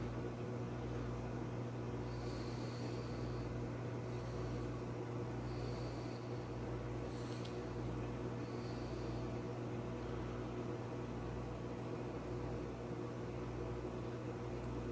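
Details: GE JVM3160RF3SS over-the-range microwave after replacing a faulty door interlock switch that tripped the breaker, heating a cup of water for 30 seconds: steady low mains hum with gentle regular pulsing, no trips or crackling; heating normally.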